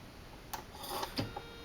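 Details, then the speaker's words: CD/DVD drive rescued from an e-waste bin, at first power-up on a test rig: scattered clicks and a short whir as it struggles to spin up, then it works on the next power-up. Optical drive struggling at power-up, cause unclear. "hm that does just not sound happy what's wrong little guy"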